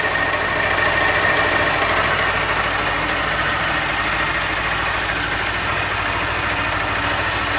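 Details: Honda Fan 160 2021 motorcycle near second service: small even ticks at steady idle with light valve-train chatter, no knocks or rattles, normal on revving. Normal idle.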